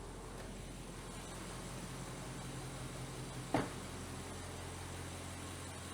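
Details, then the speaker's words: Audi 4.0 twin-turbo V8 idling after a spark plug replacement, hood up: quiet, even low hum with no misses or knocks and one small click midway, no check engine light; normal idle. "Okay. Idling's good. Man, that exhaust sounds good."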